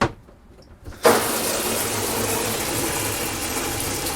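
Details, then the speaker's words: Existing RV fresh water pump, before a swap to a Lippert Components Flow Max, switched on in an RV, pump located next to the sink: silence, a click, then a steady even buzzing hum with water rushing through and decent pressure; normal water pump operation. "And a decent amount of pressure."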